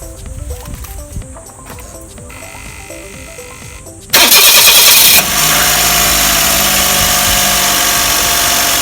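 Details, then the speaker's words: Car engine cranks, catches and idles before adjustment, with a very slack AC belt that sags when pinched. A harsh, hissy chatter rides on top, probably from the AC magnetic clutch area: loose AC belt noise. "多分こいつだね。こいつがね、みんな名前あんま知らないと思うけど、これマグネットクラッチって言うんですよ。いや、ベルトもちゃんと腫れてねえな、おい。たるんでんな。"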